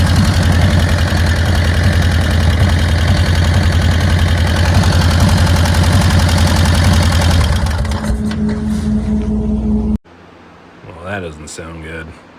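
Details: 1999 Harley-Davidson Dyna Wide Glide, customer-recorded before teardown; loud, lumpy idle with heavy regular knocking low in the engine about three times a second, then shutdown. Blown bottom end, bearing failure.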